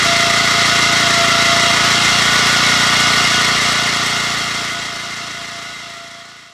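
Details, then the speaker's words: 1981 Honda F200 garden tiller, small single cylinder, warming up with handle engaged and tines in the air to recirculate oil after sitting about a year: steady, bright, even buzz at constant speed, then fading; normal healthy running. "But I'm going to go ahead and let this thing warm up and go through the engage the handle with the tines in the air just to recirculate all the oil and give this thing some exercise."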